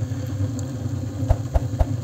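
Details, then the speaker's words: Homemade gas-cylinder wood stove five minutes after lighting, bottom inlet closed and 60 mm blower pipe open for straight draft: low steady rumbling roar with soft thumps as air rushes through and the fire builds. "раздувать пламя улиток сказать сейчас все это очень быстро разгорится"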